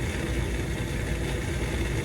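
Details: 30-year-old furnace draft inducer motor with a steady, rough rumbling drone from worn-out bearings; the motor later seized and was replaced.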